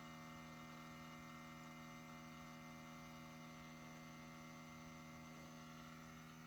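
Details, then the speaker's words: 2017 Toyota Tacoma parked in a garage for hours, engine off, key fobs in the house, doors unopened: faint steady electric whir from underneath, like a small pump or actuator cycling; cause unknown. "it's been parked in the garage for hours there's no key fobs in the vehicle they're in the house [Music] the doors have not been opened and this noise is just coming from underneath"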